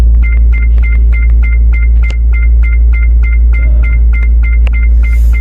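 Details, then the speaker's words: Hyundai hybrid (YF/HG), code P1B74, with engine running: fast steady two-tone warning beeps over a low cabin hum. Cells 25 to 32 read near 0–4 volts, a high-voltage battery fault traced to an open voltage-sensing line. "지금 소리 들리시죠 경고음까지 지금 동반되고 있습니다"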